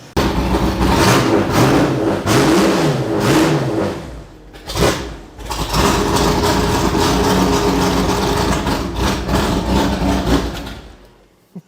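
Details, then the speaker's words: Superformance GT40 Mark I V8 warming up at idle and blipped after service; uneven stumbling misfire as a bad spark plug wire arcs directly to the fuel rail; plug wire to be replaced. "we were sitting here just letting it warm up and chz noticed that it was sparking and it's literally jumping direct directly to the fuel rail so we'll have to change that uh change that plug wire it's definitely bad"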